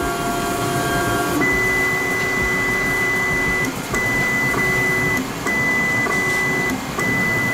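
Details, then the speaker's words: Voron 2 3D printer homing on the nozzle, picking up its Euclid probe and running quad gantry leveling. A steady high stepper whine in short runs with pauses, over a fan hiss. Normal leveling. "so if i just do a i think i can just do this it's going to home on the nozzle grab the probe and do a qgl"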